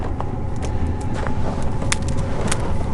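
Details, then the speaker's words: Chinese diesel heater about five minutes after startup while camping in a hot tent, warming up: steady low combustion rumble with faint regular fuel-pump ticks, exhaust flowing; running normally. "if you listen you can hear the fuel pump ticking there we got some exhaust coming out here it's starting to get warm"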